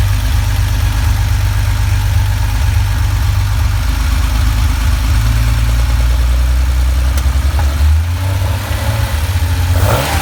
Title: Porsche flat 6 with lean misfire